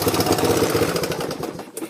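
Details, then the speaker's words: Yamaha YTM 200 Tri-Moto, about a 1985, revving with a harsh, buzzy rattle over the exhaust; rear motor mounts missing and front ones loose let the engine vibrate; no compression release cable fitted. "because it's missing the rear motor mounts and the front ones not even really it's not tight so I got to find some bolts"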